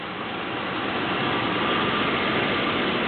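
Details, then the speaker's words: 1973 Chrysler New Yorker Brougham V8 after cold start (reduction-gear starter whine normal); soft, steady hum with no knocking, ticking or stumble under light hiss; smooth normal idle. "engine runs so smoothly that the air filter is barely"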